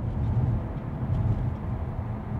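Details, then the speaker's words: BMW 340 B58 after fixing rattling door pin, driving: steady low road and engine rumble through cabin at cruise, no ticking or buzzing, door trim quiet; no rattles. "so far so good so far so good i don't hear any rattles"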